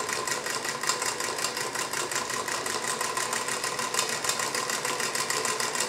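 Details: Singer 221 Featherweight sewing machine on a sturdy wood table: quick, even mechanical chatter at steady speed with no heavy knocks; earlier loud bobbin clunking was caused by a flimsy folding table letting it vibrate, now gone.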